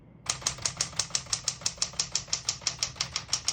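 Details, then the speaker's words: 1961-63 Tower Citation 88 portable manual typewriter, single spacing: crisp, even key strikes about three per second, each landing cleanly; no keys skip or stick. "As you can see, all the keys type nice and none of them skip or stick."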